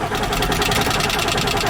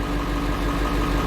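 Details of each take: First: 1995 Ford F-series 7.3L Powerstroke diesel, manual with AC, wouldn't start after sitting two months: starter churns about three and a half beats per second for four seconds, engine never catches; crank-no-start traced to failed injector driver module. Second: 1995 Ford F-series 7.3L Powerstroke diesel after replacing the failed injector driver module: steady, even idle with regular low chug, no knock or miss; normal diesel idle, crank-no-start fixed.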